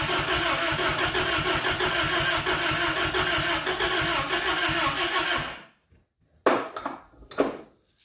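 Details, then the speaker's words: 1992 Isuzu pickup, start attempt after years of sitting, in neutral: cranking, then a rough, uneven, lumpy run before it dies; definitely missing even though spark seems present on all cylinders, cause unconfirmed. "think we're getting sparked on all cylinders it's definitely missing"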